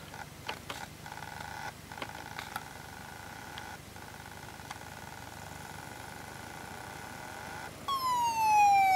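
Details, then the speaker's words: Very old laptop hard drive at power-on; scattered clicks over a steady high whine, then a loud falling siren-like wail; abnormal spin-up noise. "Hey Leute, ich habe jetzt hier eine Laptop-Festplatte und die macht komische Geräusche."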